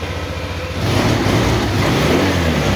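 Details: Honda Vario 150 smartkey scooter after fitting and registering a new ECM, started by the starter button: engine catches, revs briefly, then holds a smooth, steady idle without misses; normal start and idle.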